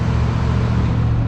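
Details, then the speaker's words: 1972 Ford Pinto 4-speed right after a cold start: a steady, fairly fast drone with no dip or hunting, rpm sitting high. Electrical loads used to nearly stall it and the tach was skipping. "So the RPMs are rather high when it first cranks up."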